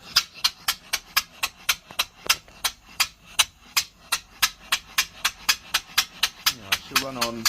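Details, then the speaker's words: 3-inch Fowler traction engine running on air at about 40 after fixing cylinder leaks: crisp, even exhaust beats at about four per second with quiet gaps and no leak hiss; a much cleaner beat. "That sounded lovely. Much much better. Much cleaner beat."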